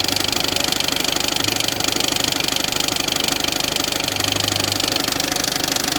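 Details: Peugeot 206 1.4 HDi diesel at idle: loud, steady knock about three per second that follows engine speed, caused by a damaged crankshaft pulley.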